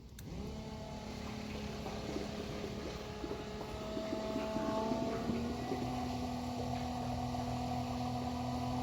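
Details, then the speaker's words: Macerator pump emptying RV black water into an IBC tote on a 1996 Country Coach: the motor hum rises to a thinner whine once the tank has drained and the pump runs dry. "all right guys so it's not good to let your pump run dry but i just wanted to let you guys kind of hear it when it does go dry"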